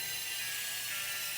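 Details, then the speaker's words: Centralized house humidifier, outside temperature -12: steady light whir from the drum drive with a faint hiss as the solenoid valve fills the dry filter drum, regulated by a magnetic float switch; normal operation. "So you can hear the click when it's low water level. The solenoid valve open and fill up with water, and it regulates with the magnetic float switch."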